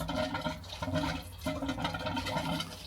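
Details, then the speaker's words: Drain gully cleared without tools by pushing a pipe about a meter up the drain, water turned back on: irregular gurgling surges of rushing water pulsing through a partial blockage, water getting cleaner; water surging through partly blocked drain. "can hear that. Something's happening. Water's getting cleaner now."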